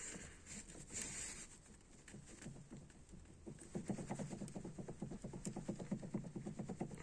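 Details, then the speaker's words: BMW 5 Series steering shaft rocked up and down by hand: dull knocks about two a second from worn, broken splines in the shaft's spline coupling. "вверх-вниз короче грохочет здесь в этой шлицевой паре она короче разбито шлицы на парад"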